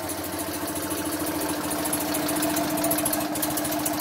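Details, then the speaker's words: BMW R50 boxer twin first start after full restoration: settles into a steady, even idle with smooth rhythm, no misses or clatter; sounds great, with an occasional small backfire described as normal. "Awesome. Crazy. It sounds great."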